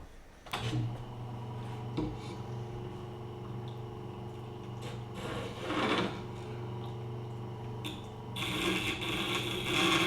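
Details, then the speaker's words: Tormek T8 grinder sharpening cheap Westcott titanium scissors in a cheap jig at roughly 25 degrees: a steady motor hum under rasping, scraping blade-on-stone chatter that roughens in spells. "Well, there's the chatter we know and hate."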